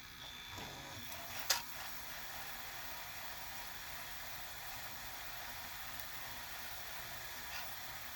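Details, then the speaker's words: JVC HR-J3009UM VHS VCR, said to be broken, rewinding a large-reel tape; steady soft whirr and hiss of spooling with an early click, no grinding or squeal, then it slows and stops on its own; rewind runs normally. "How did it know to slow down and stop with this larger reel when it only has a speed sensor there, unless it's comparing the tracking pulses here with the speed there."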